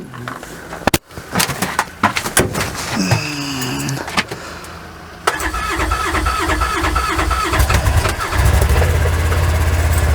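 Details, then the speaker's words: Used 2-year-old Kubota RTV XT850 Sidekick with gas engine, at about -30°C after a -40°C night: a few seconds of cranking, then catches cleanly, settles to even idle and revs, normal cold start with no issues. "No issues at all. So as you can see, a gas engine, no issue at all."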